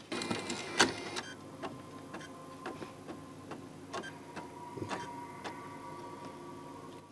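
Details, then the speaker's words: Sony PS5 Blu-ray drive with a test disc inserted, before repair: quiet whirring and repeated sharp clicks as it searches, then reports an unreadable disc. The laser was first suspected, but the fault is a bad drive motor controller IC. "can hear it searching. And there we go, unreadable disc again."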